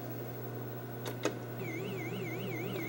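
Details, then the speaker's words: Gorf arcade game board with a faulty custom chip: the background should be solid blue, colours are wrong and characters sparkle. Warbling, wavering siren tones over a steady electrical hum; the game sound is garbled because the custom chip is failing. "you can see this is supposed to be a blue, complete blue background, and you can hear the sounds are totally jacked up. The colors are messed up. This custom chip is doing something completely wacky with the game."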